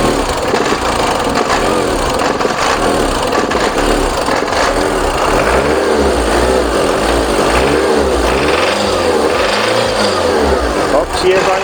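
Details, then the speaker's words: VW Passat B3 diesel just revived, with air bubbles still in the fuel lines and smoking: loud clatter surging and dipping unevenly; it ran smoothly earlier, so the owner suspects he misset the pump's initial fuel dose. "taniec wcześniej chodził elegancko równiutko nic się nie działo Także ja musiałem gdzieś zjebać dla ustawienie dawki tej wstępnej"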